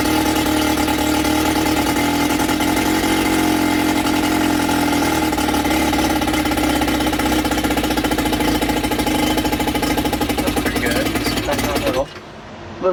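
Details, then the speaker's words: Sea King 6 outboard (VWB19074A) during repair, primed and with fuel reaching it, possibly running too rich: an unsteady buzz with wavering pitch for twelve seconds, then it abruptly cuts out. "It might be too much fuel at the moment at least. But, I'm not sure. Oh. Sounds like it's going to go."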